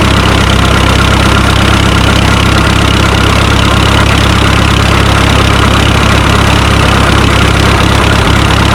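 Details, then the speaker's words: Minneapolis Moline Z tractor after rewiring and carburetor adjustment, out of gear, park brake set, after a short drive: heavy, lumpy, rough idle about three and a half beats a second; owner suspects fuel issue, maybe carburetor needle and seat. "I don't know. Well, I think I got a fuel issue."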